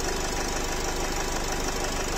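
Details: Nissan X-Trail 2.0 dCi diesel, 250,000 km, blow-by present, no errors, a squeal noted: a sharp, steady knock at idle over the diesel clatter, even with each turn, a worn connecting rod bearing.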